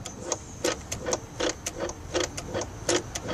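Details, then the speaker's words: Mercedes S500 E-gas module test, engine off, ignition on: crisp, even ticks about 80 a minute with faint hum from the throttle motor turning the throttle gears; throttle actuator and control module working normally. "That is actual motor that turns the throttle gears. So it does seem to work fine."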